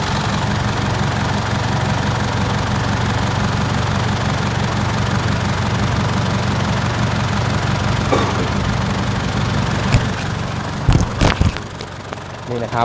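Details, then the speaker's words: 2005 Isuzu D-Max diesel after replacing the part behind a front-of-engine noise earlier blamed on the A/C compressor: steady, even idle with a smooth low rumble, no squeal or rattle, noise gone. "หลังจากเราเปลี่ยนอะไหล่ไปแล้วเราติดเครื่องแล้วมาฟังเสียงครับเสียงมันเงียบแล้วครับไม่มีเสียงดังอีกแล้วครับ"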